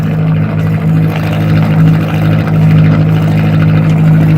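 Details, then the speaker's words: Atomic 4 marine petrol engine on a boat, warmed up, now pumping cooling water overboard. Steady, even low drone with no knocks or misses. It carries 40–45 psi oil pressure, temperature is coming up, and it runs much better than before. Normal running. "got a warm yep even sounds good"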